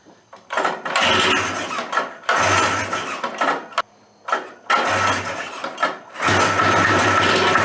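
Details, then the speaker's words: Suzuki Fury twin-pipe two-stroke snowmobile, long stored, with suspected ignition issues, spark rechecked: catches in ragged bursts, revs flare and sag, nearly dying, never steady; rough running, cause unconfirmed. "it was running not that long ago but it wasn't running well"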